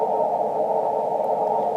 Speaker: now if we go to the 10 megahertz ban this antenna isn't really look at how awful that noise level is S8 S9 with the CW filter